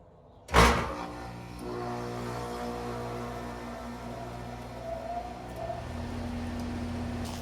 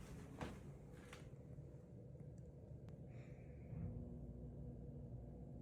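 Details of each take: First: Goodman 3-ton AC without soft start, before installing Micro-Air EasyStart Flex: one heavy loud jolt as compressor starts, then steady normal hum; hard start from inrush current. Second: Goodman 3-ton AC condenser, second start after installing a Micro-Air Easy Start Flex soft starter, heard from indoors: soft low rumble with no harsh thump or jolt, much quieter than before; normal compressor start.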